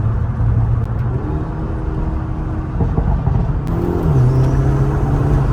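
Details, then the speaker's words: 2025 Hyundai Elantra N turbo on the road, accelerating through a downshift and upshift. A deep drone climbs with a loud sucking whoosh from under the hood, then the check engine light came on; the owner suspects the air intake. Loud intake noise. "upshift and then I hear the thing sucking crazy pause but I hear the thing sucking crazy it sounds like something shouldn't be under the hood"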